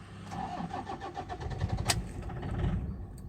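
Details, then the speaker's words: Toyota Innova cranks steadily and catches for under a second, then dies immediately; diagnosed as a failed injector driver module. "S, customer சொன்ன மாதிரி வண்டி crank ஆகுது. தென் ஒரு starting moment வந்துட்டு உடனே of ஆகிடுது."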